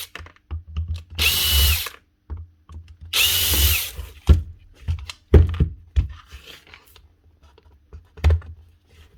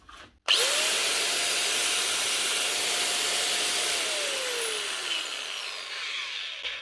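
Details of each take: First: Bosch GWS 7-115 angle grinder from a fishing-boat repair box: two short spin-ups with a coarse, gravelly whine instead of a clean hum, caused by worn-out gearbox gears, which are fixable by stripping down. Worn gearbox gears. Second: Bosch GWS 880 angle grinder, wire wheel removed, from a fishing-boat repair box: spins up to a clean, steady high whine, holds without rattle or grinding, then winds down smoothly. Running fine.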